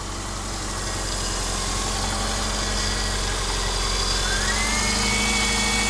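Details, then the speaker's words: 2004 Subaru Outback, 170,000 miles, first start of a new OEM Subaru short block on a borrowed battery, with no coolant yet. A smooth, even idle with a steady low drone that rises slightly then holds, with no knocks or ticks: really quiet and healthy. "So Sounds good. yeah, it's really quiet."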